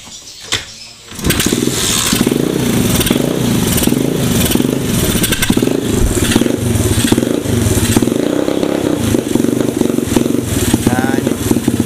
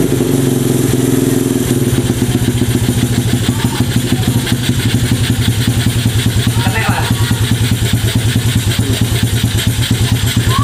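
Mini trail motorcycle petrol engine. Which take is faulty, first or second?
first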